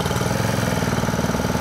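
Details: Honda WX15 1.5-inch water pump after sitting 3.5 years, started first pull on choke then choke off: quick even putter about eleven beats a second, no misses or knocks; normal idle.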